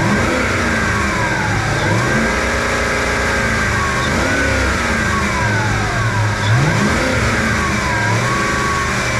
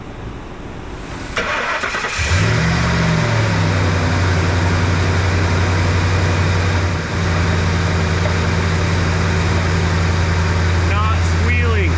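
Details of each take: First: Ford F-150 5.4 Triton serpentine belt squeal: high squealing tones rise and fall with each rev over engine roar; slipping belt. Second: Ford F-150 5.4 Triton V8 start after air filter change: cranks, catches and settles to a steady, even idle; no serpentine belt squeal or knocking heard (knock complaint reportedly at high RPM, low load).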